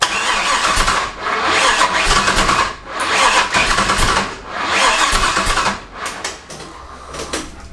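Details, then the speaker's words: LS-swapped Toyota Tacoma, first start attempt after wiring and adding fuel: labored cranking surging and sagging about every 1.5 seconds, engine fighting itself and not catching; crank no-start suspected from wrong ignition timing. "Alright, so after that first startup attempt that was a complete fail, the first thing I went after was ignition timing. It just sounded like an ignition timing problem to me. You could kind of hear it when you go to crank it. It was kind of fighting against itself."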